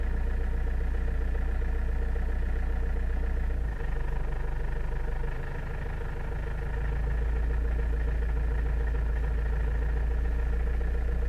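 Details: Toyota Avensis (first generation) strange low-rpm engine noise: a low, droning idle with an irregular pulse about twice a second and a brief sag midway; cause unknown.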